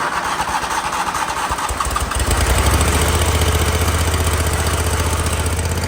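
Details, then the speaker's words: Toro Wheel Horse mower with power steering: small engine keeps a steady, rapid beat, but only while the starter stays engaged. Owner suspects a safety interlock. "So, if I hold the starter engaged, it'll stay running. That's weird."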